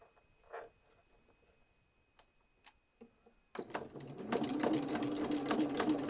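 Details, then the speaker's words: Sewing machine running fast even stitches with a wavering whistle over it, which it has always done; cause unknown, owner mentions needing a new needle. "can you hear my sewing machine whistling it drives me potty when it does that it's always done it so I don't know why"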